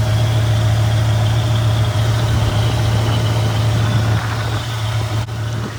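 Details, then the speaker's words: 1995 Camaro Z28 after an AC delete with a new compressor bypass pulley: a thin, constant whine over a steady idle, coming from the bypass idler pulley, thought to be just breaking in. "So right here I'm spending a lot of time trying to figure out where this noise is coming from, but after doing some research and fidgeting with it and checking where the sound's coming from, it was coming from the bypass pulley itself, from the AC delete"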